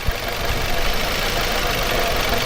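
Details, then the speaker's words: Nissan Altima idling with an uneven, stumbling beat, shaking, and heavy low thumps; moving coil packs moved the misfire with them, confirming a bad ignition coil pack; the misfire comes and goes. "yep and it's missing right now right now it's missing i can feel it i just want you guys to hear it yeah you can see it's shaking and carrying on"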